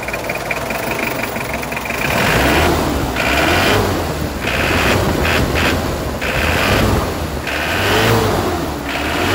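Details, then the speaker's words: 2005 Mitsubishi L200 Strada GLS 4x4 double cab, first generation, 2500cc 4D56 diesel; several smooth revs rising evenly with no knock or rattle and no hesitation; healthy engine. "ya kita coba dengarkan suara mesinnya ini pemirsa suara mesin dari Mitsubishi Strada L200"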